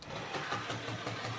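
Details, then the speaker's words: Hornby 08 shunter on a layout after motor repair: motor whirring with a regular click-thump about six times a second, caused by a large piece of fluff caught in the worm gear. "hear that clicking go like that nope i think we'll have to take this to bits again so just when i thought it was fixed that uh developed an unforeseen problem a horrible thumping sound um all right let's get the the motor out again because look at that worm gear it's a great big piece of fluff in here"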